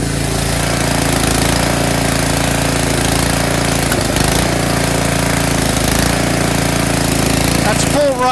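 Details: Tecumseh snowblower small single-cylinder engine after cleaning a clogged carburetor pilot jet that caused surging: holds a steady, even beat with no hunting or surging in the revs; runs smooth and healthy.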